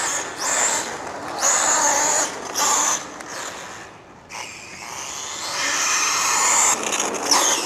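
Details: Rlaarlo Omni Terminator 1/10 RC monster truck on tarmac, Hobbywing 10BL120 G2 ESC at max punch: harsh gritty grinding surging with each throttle burst, worsening until drive drops out; stripped pinion gear.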